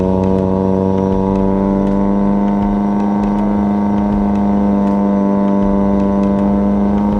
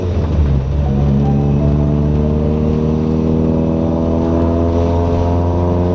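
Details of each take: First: Toyota Corolla with 4AGE swap, warmed up, on a test drive; engine holds a high steady drone, revs flaring without pulling under load; clutch slipping hard when revved, replacement being considered. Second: Toyota Corolla with 4.8 GE engine swap, after clutch master cylinder adjustable arm/screw set all the way back, test drive: steady even drone under load without flaring revs; clutch engages and releases properly. Earlier slipping suspected from track heat.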